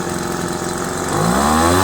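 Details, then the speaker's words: Craftsman 25cc two-stroke leaf blower after new fuel lines, diaphragm replacement, carburetor cleaning and adjustment: steady even buzzing idle rising slightly in pitch, no stumbling, correct air-fuel mixture. "25 cc's old craftsman idles really well you can hear the kind of the sound of how the gas air fuel mixture should be simply that sound"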